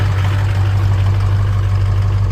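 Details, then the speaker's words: Ford Super Duty 6.0 Power Stroke diesel, started cold on a chilly morning after reconnecting an unplugged FICM connector (the key still doesn't crank it): fires right up and settles to a deep, even idle hitting on all 8. "Fires right up. It's a little chilly this morning, so it's not too happy. But now, it's hitting on all 8."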